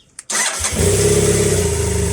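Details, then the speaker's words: BMW GSF 650 after battery replacement, previously hesitant and struggling to start: brief crank, catches straight away and settles into a steady even idle with no hesitation; clean healthy start. "That was better, wasn't it? Yeah. We had I know it didn't seem like it at first, but it was a lot hesitant. It was like and really struggling a bit, so hopefully that should solve it with a bit of luck."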